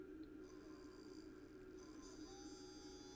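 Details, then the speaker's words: Bose 3-disc CD changer, known-good spindle motor powered directly from terminals for comparison: quiet smooth even hum with faint steady whir, no ticks or scraping; healthy, unlike the shorted original motor. "you hear that you're not gonna be able to see it because I have it upside down but the spindle is rotating"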